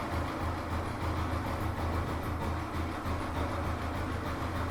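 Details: Old Royal Enfield Electra after a general service, with a metal flap added to the exhaust for the old beat and the white smoke fixed: a steady, even low idle thump with no misses or rattles.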